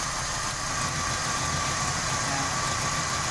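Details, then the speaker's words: Toyota Kijang Grand 5K/7K petrol engine idling evenly once a leaking distributor vacuum port is blocked; with the leak open the idle was uneven and limping. "Apabila papi tutup ini, dia akan normal."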